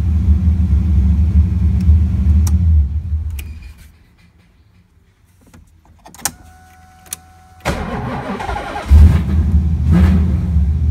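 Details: LS-swapped V8 started hot, after months of hot-start trouble when the starter struggled and would not turn the motor; owner suspects low charging voltage and a bad alternator. It cranks, hesitates briefly, then catches into a steady, deep idle.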